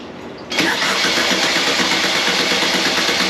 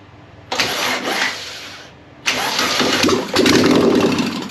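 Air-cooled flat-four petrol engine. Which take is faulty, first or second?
second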